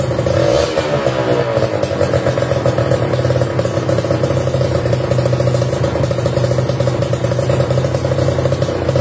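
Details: Kawasaki Ninja RR New two-stroke fitted with KDX racing exhaust: crisp raspy note holding high revs through the free-flowing pipe, steady and even; engine healthy.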